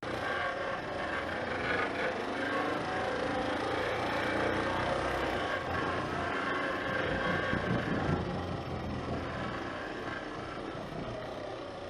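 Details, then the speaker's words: Honda CBX125 motorcycle revved at a standstill makes a harsh rasping, scraping noise that rises with the revs. The noise appeared while riding and the cause is unknown here. The owner suspects low fuel and tops up the tank. "停止してても、エンジン回転数を上げると、変な音がする。この音の原因、わかりますか？"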